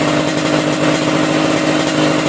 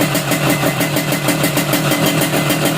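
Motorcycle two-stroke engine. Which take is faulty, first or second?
second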